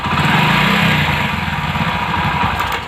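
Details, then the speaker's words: Bike that suddenly died, carburetor already cleaned: smooth at idle but on light revving it stumbles with an uneven tick-tick about four times a second; cracked ignition coil leaking spark, causing misfire. "Okay இதுமாரி sound tick டிக்குன்ட்டு. இது ஏன் வருதுன்னா இங்கே பாருங்கள், நீங்களே பாருங்கள், ignition கையில் ஃபுல்லாக உடஞ்சிட்ருக்கு."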